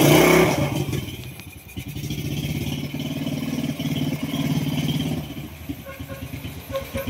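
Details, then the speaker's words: Honda Wave 125 after repair of a very noisy engine (grinding) caused by a failed connecting rod, crankshaft replaced: quiet, even soft single-cylinder idle with no knocking; normal idle. "tahimik siya ulang sa menor. So ayan na umandar na oh. Tahimik."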